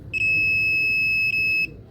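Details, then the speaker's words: Multimeter in buzzer (continuity) mode while servicing a Luminous UPS: steady high-pitched beep about a second and a half, briefly broken once, when probes touch; normal continuity tone, later used to find a blown fuse. "Buzzer ಮೋಡಲ್ಲಿ ಮಡಿಕೊಂಡು ಇಲ್ಲಿ ಈಗ ಹಿಂಗೆ touch ಮಾಡಿದ್ರೆ ಏನಾಯ್ತದೆ ಅಂದರೆ"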